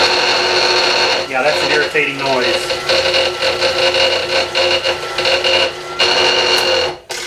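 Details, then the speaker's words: Bridgeport milling machine in back gear, drilling a fixture plate at slow speed with Niagara cutters: a steady, shrill, high-pitched squeal like nails on a chalkboard with rough bursts. "well not tell me I've cut my head my earmuffs on someone have to listen to that that's just that's like hearing nails on a chalkboard"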